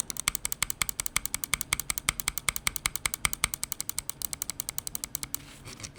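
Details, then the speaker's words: Finalmouse ULX Frostlord mouse, M1, M2 and other buttons tested: crisp, even clicks about eight per second, sharp and clean without rattle; normal button clicks. "I mean, sonically, it sounds fine."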